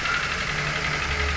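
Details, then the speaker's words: Nissan Grand Livina with knocking and high rpm despite cleaned throttle body and EGR, engine previously stalling when cold: harsh metallic knocking worsening when revved, suspected worn piston, piston slap or worn rings; overhaul recommended. "Nah, ini. Wih, serem ya suaranya. Wasar banget deh. Ini kami sarankan untuk overhaul,"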